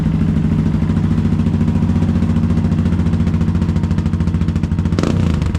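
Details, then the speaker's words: Newly bought motorbike started before exhaust removal: steady even thumping idle, no knocks or rattles; engine nice and quiet, though the exhaust end is loud. "pipes sounds good yeah proper nice quiet engine well not that end that end's not quiet but that end is"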